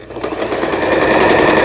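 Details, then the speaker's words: Lion Mising–sold Janome SS308 sewing machine from 2011, plastic body, after repair, straight stitch with reverse button giving two or three back stitches; fast even needle clatter building to steady rhythm, no knocks or binding, sewing smoothly. "요거 이제 후진 버튼이죠. 백하는 버튼이 요걸 누르고 두세 땀만 뒤로"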